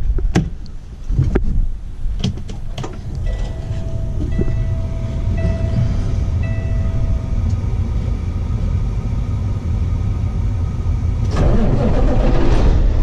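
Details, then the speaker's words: Cummins diesel truck after installing a CM2250 short block fuel pump with new tappets, plungers and barrels: a few clicks, then a deep, steady rumble with an even beat, no knock or miss, no check engine light; running healthy. "But everything turned out good. I just want to let you guys listen to it run."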